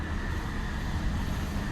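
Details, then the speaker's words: 2020 Infiniti QX60 3.5L V6 idling steadily and evenly after repair: cylinder 2 misfire (P0302) and raw fuel smell gone; cause was a bad fuel injector dumping fuel, not a sludged engine. "but for right now no more misfire no more stinky fuel smell uh uh coming out of the car"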